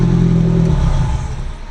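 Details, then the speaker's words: Subaru GC8 cold start tuning at 86 degrees with cranking fuel cell at 8.6: engine catches with uneven, lumpy rumble that sags and fades within two seconds; too little cranking fuel, next try 10. "I don't think that was very good. Alright, so we're at 8.6. That didn't seem like it was enough."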